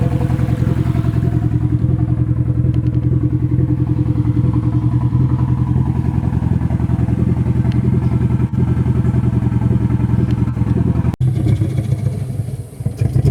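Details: Nissan SR20 in a 240 on first start after engine install, open downpipe: loud rough idle with an uneven, stumbling beat of about three to four pulses per second; engine misfire, cause unconfirmed.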